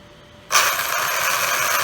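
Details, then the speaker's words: Traxxas Unlimited Desert Racer RC truck, after a turn and hard throttle off a cement driveway something snapped in the front end: harsh raspy whirring grind under throttle; broken front driveline part. "made a turn and gassed it off the cement and heard something snap in the front end here so here's what it's doing listen"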